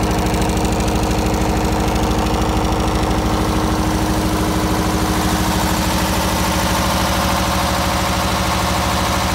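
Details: MEP003A military diesel generator, 900 hours, new oil and fuel filters, flushed fuel system, somewhat hard starting: steady diesel chug about two beats per second, even with no misses or knocks; idles properly.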